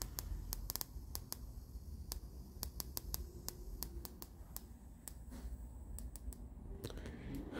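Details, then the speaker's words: Sugarcube SC-2 Plus audio processor with nothing on the input, output to a Sansui AU-919 amplifier: sharp, dry clock-like ticks every fraction of a second over soft hiss in the left channel only; internal fault. "and i will let you hear what the regular tick tick ticking sounds like c not in the other channel only in one"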